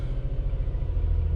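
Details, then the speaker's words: 2009 Nissan Pathfinder SE V6 final startup after replacing camshaft position sensors for P0340/P0345: fired right up, steady even low idle rumble with no misses or knocks. "All right, so we're in here for hopefully our final startup. Just fired right up, no issues,"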